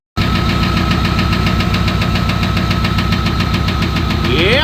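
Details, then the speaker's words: 1994 Chevy K1500 5.7 liter 350 V8 idling with a deep, steady knock three to four times a second; rod knock that developed suddenly, owner suspects switching to 15W-40 oil contributed. "It's a 5.7 liter 350 if you're old school, and yeah, it's got a rod knock."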